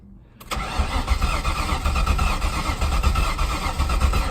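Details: Mustang GT after refurbishing the gas tank and fitting a new fuel pump, level sender and fuel filter: steady cranking with occasional stronger pulses, close to catching but not running on its own; it ran afterwards.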